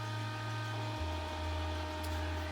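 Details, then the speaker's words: MIG welder after cooling fan swap, switched on: steady even fan whir over constant mains hum, no rattle or scrape; fan runs normally, pushing air to the hot transformer. "Well, as you can hear, the fan is working, pushing air towards the transformer, which gets hot."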